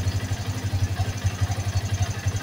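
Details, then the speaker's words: Yamaha Vixion single-cylinder motorcycle idling after a top-end rebuild (valves redone) with a steady thump and a light metallic cam chain rattle, because the cam chain was not replaced. "di sini masih ada suara keteng ya suara keteng karena ketengnya tidak diganti"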